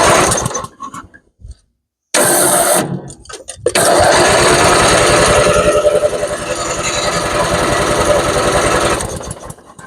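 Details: Twin-cylinder Craftsman riding mower after new ignition coil installed to cure no-start, still on old gas: catches after a couple of tries and settles into a steady, even putter with no misses; normal start and run after repair.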